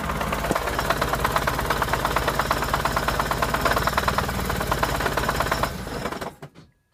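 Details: Turbocharged VAZ 2104 engine at idle: sharp regular metallic tapping about three per second, stopping at shutdown; knock of unknown origin despite normal timing chain, new tensioner and twice-adjusted valves.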